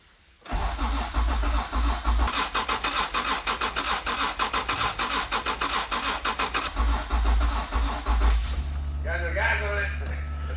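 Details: Honda NSX (early-90s, turbocharged V6, heavily modified) sitting 10 years, first start attempt: starter cranks steadily about one beat per second for eight seconds, never catches; fuel pump runs, but injectors suspected stuck shut after 10 years.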